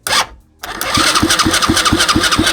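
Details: Used Chinese 125cc engine with electric start, a rewired harness and spark present, but old kerosene-smelling gas in it: the starter churns at about four beats a second and the engine spins freely with compression but never fires. Cranks, no start.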